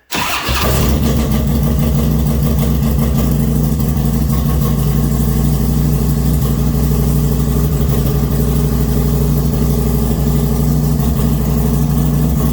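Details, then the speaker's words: 2008 Harley-Davidson Road King V-twin, 44,000 miles, mic near the valves: steady loping idle with light uneven top-end clatter; owner finds the valve train ticking excessive, noisier than his previous 2006 Road King. "If you think it's noisier than it should be, which I think it is, this is my second. The other Road King I had was an 06, and the valve train was a little noisy on it also. But this sounds a bit excessive to me."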